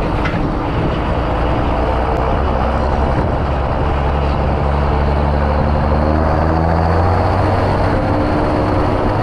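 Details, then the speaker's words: Tractor diesel ("Janusz"), power raised, heading out to load kieserite: loaded diesel rumble with an uneven croaking knock; inefficient worn injectors over-fuelling since the power increase, injector knock that owner says may shorten piston life. "słychać takie rechotanie jak sami słyszycie ale jest co jest taka ciekawostka też to się zaczęło on zaczął inaczej pracować ten silnik jak mu podnieśliśmy moc po prostu niewydolne wtryski zwiększona dawka paliwa i efekt taki jaki słychać"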